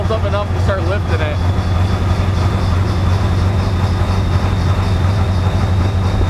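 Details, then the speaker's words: Ford 7.3 Powerstroke diesel: a deep idle with an uneven, lumpy beat and jumping rpm as the injectors come on one by one while oil pressure builds. Air bubbles are suspected; cause unconfirmed. "you'll start feeling one injector come on then another then another rpm will start jumping and it's just gonna do that for a while"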